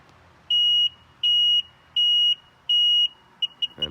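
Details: 2001 Sea-Doo GTI LE RFI two-stroke: four long beeps on pressing start, then short chirps, no starter crank; display alternates maintenance and high temp; computer suspected, not confirmed.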